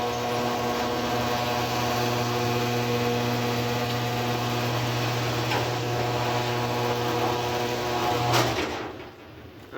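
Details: Older Genie screw-drive garage door opener, model 3060L, after the carriage part (36179.S) was replaced to fix grinding and stopping: a steady, even motor hum with no grinding, shutting off cleanly, so it now operates normally.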